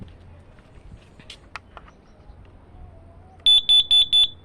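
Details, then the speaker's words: Carbon monoxide alarm tested outdoors deep in a grassy garden: four loud, evenly spaced high beeps keep coming in fresh air, and the owner is unsure whether the alarm is broken or actually detecting gas. "Going deeper into my grassy garden. Okay, then. More deeper. Oh, okay. Um, this I don't think this is it's rather broken or it's actually working."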